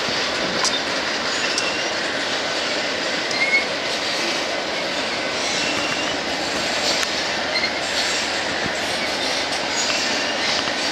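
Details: BNSF empty grain train at sunset, headed to North Dakota for reload, led by two GE locomotives: long consist rolls past with steady hiss and rumble, faint squeal from a few wheels riding over the rail noise.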